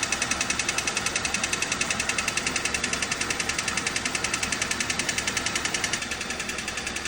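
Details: Hyundai Solaris 2 (Kia Rio) with a new Chinese-built G4LC 1.4 petrol engine, listened to over the engine while revved: crisp, very regular ticking-knock, about three and a half per second, shifting with revs; a cracked flexplate.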